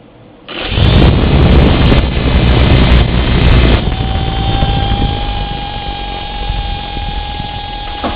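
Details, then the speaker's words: Litehawk Pro helicopter: the motor driving the top (A) rotor whirs then settles into a thin steady high-pitched whine, lacking power when yawing left; sometimes works briefly after rest then spins clockwise. "okay so what happens is that that motor there controlling the top rotor is making the high pitched wine"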